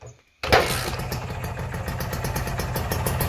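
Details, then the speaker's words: Refurbished Kawasaki Ninja R two-stroke after engine rebuild, carburettor tuned and exhaust fitted: starts at once into an even, crisp idle with steady popping, no misses; judged smooth. "Ini udah kita tuning kita langsung coba Cheek sound ya Suaranya kayak gimana"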